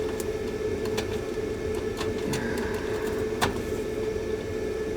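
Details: HydroAir system blower with new motor and 10 capacitor fitted after no-heat call and fan shutting off: steady, even whir at one constant pitch, no knocking or grinding; runs smoothly.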